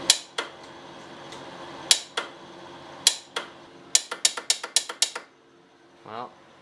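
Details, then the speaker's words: Polaris Xplorer ATV just after starter replacement, bumped while upright: sharp isolated clicks then about eight rapid clicks, no cranking; starter relay clicking but no crank, relay suspected of poor connection, not confirmed. "sure relay could still be bad to even though it's making it noise maybe it's not making the connection so well"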